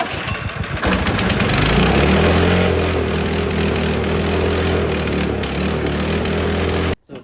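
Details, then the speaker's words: Snow blower stored all spring and summer with ethanol gas, carb filled with cleaner via primer bulb fuel line: catches, runs rough and uneven about six seconds, then dies; fuel starvation, something still clogged in carburetor. "and then I keep priming it to give it more fuel and then it stops getting fuel so something else is clogged in the carburetor"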